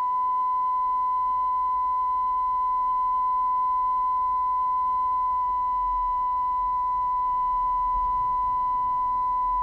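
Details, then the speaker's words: Coomber 393 language-teaching cassette recorder after adjusting tape-speed screw, playing 1 kHz side of test tape: clean steady tone holding pitch without waver or drift; tape speed correct. "I'm gonna I'm gonna be happy with one kilohertz that's pretty much good enough for me"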